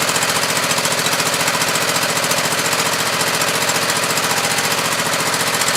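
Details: Husqvarna YTH2448 mower with 24 hp Briggs V-twin, new plugs and regulator: fast, uneven chuffing with lopsided pulse, one cylinder dead or weak; misfire on one cylinder, cause unknown, owner checking head gasket and valves.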